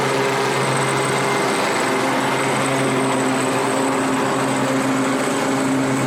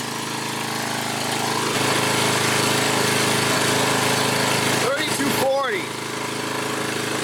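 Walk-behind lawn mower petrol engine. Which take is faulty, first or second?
first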